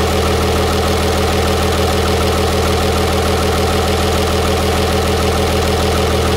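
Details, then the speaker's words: 6.7 Cummins diesel after the fix for rough running idles smoothly and evenly, with a soft steady thump about three a second from the open intake because the intercooler is off, which is normal. "that is exactly what it's supposed to sound like that that is good so now that was in good shape that was definitely our problem that sounds perfectly normal"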